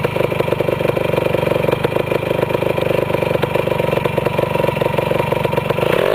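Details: Restored 1973 Yamaha CT175 two-stroke single motorcycle (carburetor rebuilt, clutch repaired), quick start then steady fast idle: crisp, even popping with no misses or rattles, running cleanly; owner calls it his best starter; normal idle.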